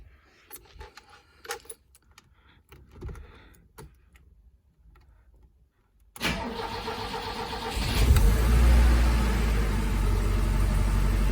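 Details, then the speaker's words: 40-year-old BMW E21, unstarted for a week, after tune-up with new spark plugs, distributor cap and rotor: cold start cranks and catches at once, settles into a smooth, even idle before warm-up. "Yep, it started right up."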